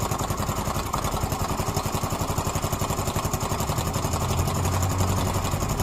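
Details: Yamaha Mio M3 automatic scooter idling with a light, quick tick about four per second riding on the engine beat; owner wonders whether it is valve noise, unconfirmed.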